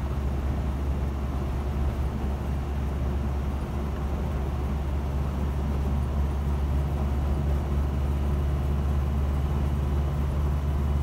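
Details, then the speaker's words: 1976 Land Rover Series 3 109, 2.25 petrol, driving after a new exhaust was fitted: much quieter, an even engine purr instead of exhaust roar, though still noisy with no soundproofing. Normal running. "Definitely an improvement, even though it is still noisy. Not quiet as the vehicles, no soundproofing on anything. But I can hear more of an engine purr rather than an exhaust roar."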